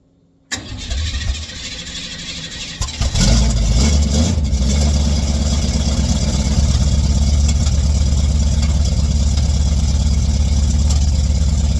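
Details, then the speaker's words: 1959 GMC truck with rebuilt Holley carburetor, now fed by the freshly cleaned factory tank and electric pump: silence, a short crank, then a firm, even idle with no stumbles or misses; clean, healthy start. "So, but we got fuel being pulled from our freshly cleaned tank now. That is awesome."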